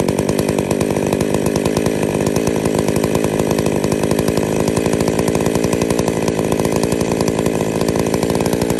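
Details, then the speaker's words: Small two-stroke chainsaw with centrifugal clutch after fitting replacement clutch springs, idling (spec about 2500 rpm, clutch should engage about 3500 rpm) with a fast, steady buzz; the chain stays still at idle, as normal. "i think they cost me a couple of dollars each and now the saw is safe you you have a saw running with idling with the chain spinning you're just asking for trouble"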